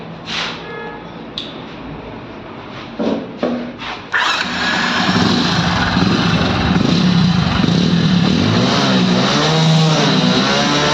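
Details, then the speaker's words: Hero HF Deluxe motorcycle with white smoke and exhaust silencer full of oil: engine catches after a few tries, uneven idle with light metallic chatter from the timing chain; cylinder head to be opened next. "तो दोस्तों देख पा रहे हैं इसके engine की आवाज जो मैं आपको सुना रहा हूं हल्की सी इसके अंदर टाइमिंग चन की भी आवाज है"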